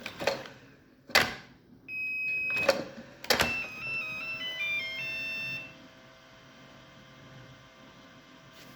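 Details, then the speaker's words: Makita DC18RC lithium-ion rapid charger: clicks as the battery is pushed in, then a short rising run of electronic notes. This is the start-up tune, which changes if the battery is removed and reinserted within 5 seconds. "if you remove the battery and reinsert it within 5 seconds, it changes the tone that makes. Try again. See, that went beep, that was a different tone."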